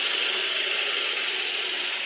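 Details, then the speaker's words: Woodturning a 7 x 3 inch bowl blank after switching to a sharper gouge, since the first tool caused chip-out: steady, even cutting hiss with no chatter or catching; clean cut. "So I don't know if you can hear there that it sounds a lot cleaner as it was cutting."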